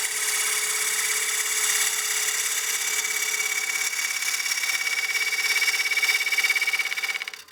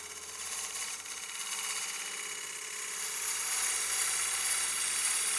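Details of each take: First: Lathe roughing a partially seasoned walnut bowl with a gouge: the hissing cut picks up a buzzing, rattling chatter as the tool extends further past the tool rest at the corner. Chatter from excessive overhang, fixed by moving the rest closer. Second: Woodturning lathe, push cut on partially seasoned walnut bowl after adjusting tool rest for more support: smooth, even shearing hiss building through the cut, no buzzing chatter; clean cut, tone changed from earlier chatter.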